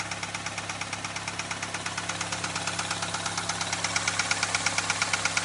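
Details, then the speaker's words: Car after a starter motor change, warm idle after an oil change with Lucas and Valvoline additive: steady light ticking about three per second, fainter but persisting; suspected lifter/valvetrain tick. "Still hearing the ticking. Kind of like it wants to go away, but it's still fighting it."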